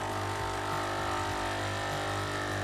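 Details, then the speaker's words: Melitta Solo & Milk coffee machine, 10 years without breakdown or service, first fill after gear and housing cleaning: steady droning buzz with a fixed low hum, likely the pump priming; owner dislikes the sound but thinks it has filled. "I'm ready. I don't like the sound, but I think it's filled."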